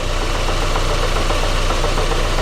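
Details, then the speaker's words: 2005 Daewoo Lanos 1.5 L with Check Engine light, uneven idle and hesitation: rough, shaking misfire at idle; injector cut-out drop test shows no reaction from cylinder 3, so cylinder 3 is dead. "Отже висновком нашого тесту є непрацюючий третій циліндр"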